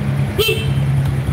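A short, clear horn toot rings out over a steady idle; the horn is loud and works properly.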